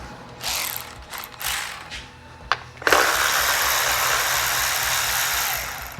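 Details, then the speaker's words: Cordless power ratchet used on a 5.3-swapped Jeep Cherokee XJ twin-turbo build: short ratchet bursts, then a long whirring run that sags and drops off. The tool is running slow; its battery is suspected of going dead. "Sounds like that battery is about to go dead."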